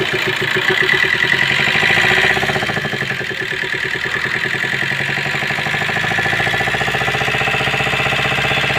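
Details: S-Cross 1.3 diesel at idle: uneven light tapping about four a second over diesel clatter; valve train tapping from a broken rocker arm.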